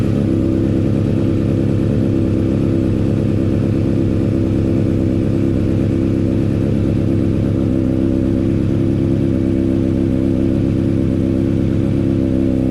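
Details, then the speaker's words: Honda CBR600RR idling after a decat mid-pipe was fitted and sealed with silicone. A smooth idle with a steady low exhaust note and no ticking or puffing at the joints. Normal idle, no exhaust leak. "well i'll be got no exhaust leaks either i can't believe i've done it"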